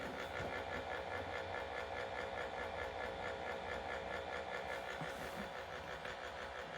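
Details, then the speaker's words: One-year-old Acer Predator Helios 300 (GTX 1660 Ti) GPU fan at base rpm, already repaired once. Constant coarse rattle and grind with a fast, uneven pulse that fades at higher rpm; owner suspects a failing fan bearing. "so as you can hear the fan is making incredible noises and this is after sending it in for repair the first time was three months after ownership"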